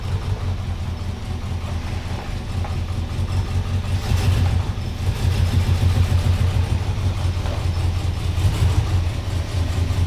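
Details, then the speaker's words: 1978 Ford F-150 with a 460 big-block V8 at idle: deep, uneven lumpy running with a missing beat and a chuffing exhaust pulse. Bad misfire from one dead cylinder, attributed to a flattened cam lobe. "i get idea how rough it's running there there now we won't die of carbon monoxide poisoning"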